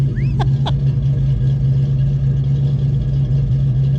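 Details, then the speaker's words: Car just fitted with a new Flowmaster cat-back exhaust, first start: deep, loud idle with a slight lope, holding steady and even, sounding like it has a cam; normal healthy idle. "get it out of here that sounds like it's got a cam in it"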